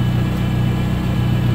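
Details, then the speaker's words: VW Golf 3 petrol engine idling after a valve cover gasket and oil change: loud, deep, throbbing rumble from a damaged exhaust system; the owner suspects a hum comes from the power steering pump. "Ну а громкий шум — это у меня с выхлопной системой проблемки."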